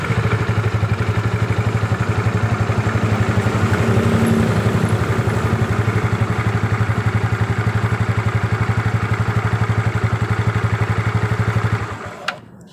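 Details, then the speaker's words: Yamaha Mio scooter running: steady fast clatter about four knocks a second, rough and clunky from the CVT, very noticeable under throttle. Cause suspected, not confirmed. "jadi seperti itu guys bunyinya dia bunyi kasar kalau di gas sangat terdengar bunyi seperti tadi"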